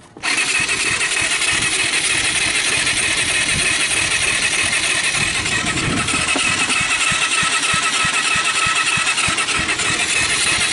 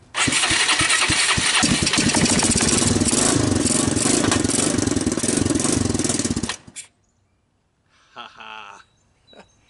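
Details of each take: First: Kawasaki Bayou 220 ATV, about 1988, cranked on the starter: fast, light cranking at about three beats a second with poppy puffs; compression under 30, later traced to valves adjusted too tight. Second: Kawasaki Bayou 220 ATV, about 1988, after rough valve adjustment restored compression, started with starting fluid, 12 V, a portable CDI and a jump pack: catches right away, loud fast raspy single-cylinder run for about six seconds, smoking.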